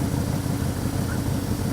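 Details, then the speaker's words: Ford 289 V8 in a Galaxie with rebuilt Autolite 2100 carburetor, vacuum gauge reading 21 inches: steady, even low rumble with no knocks or misses, smooth regular firing; normal idle. "what is that 21 inches of vacuum perfect she's happy"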